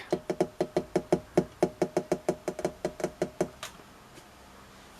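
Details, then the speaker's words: Rediffusion Mk3 vintage TV, safety resistors replaced by 22 and 82 ohm in series: brief raster, then sharp ticking about five per second for three seconds as the variac trips. Possible slight burning smell; 300 V HT rail very low and pulsing. "something's gone off and I'm not even sure if I can't smell a slight smell of burning but if we turn it on listen to the variac but the barrier doesn't like that"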